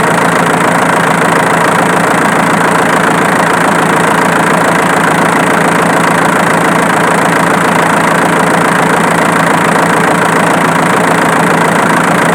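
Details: Diesel engine at steady idle with an even click near two per second that follows idle speed, located with a camera; the click comes from the alternator, not the injection pump as suspected.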